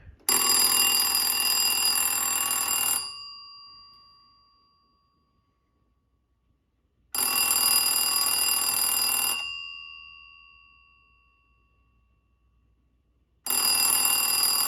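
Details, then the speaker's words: 1981 Standard Electric TLF 300 telephone, ringer recently adjusted because the bell was wonky; bright clean rings in bursts of about 2.5 seconds with roughly 4-second gaps; even, healthy ringer. "Okay, and now we will do the best part. I only get to hear the ringer. I had to adjust the ringer a bit because the bell was kind of wonky."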